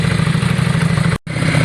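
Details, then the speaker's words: Yamaha Virago V-twin idling, warming up after front carb clean and new spark plugs: fast, even pulsing idle with no skips or clatter; best it has ever sounded, revving fast and high; normal idle. "sultan's bike sounds the best it's ever sounded guys since we've had it um it's revving fast it's revving high"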